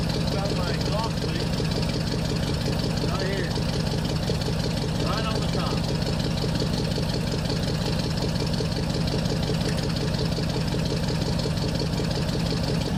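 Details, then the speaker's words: 1968 Pontiac Superior ambulance V8 at idle with a Quadrajet carburettor: a fast, even tick keeping pace with the engine, from an exhaust leak at the choke heater. Exhaust leak at the choke heater. "You can hear that tick, tick, tick, tick. That's the exhaust leak, and it is, in fact, the choke heater."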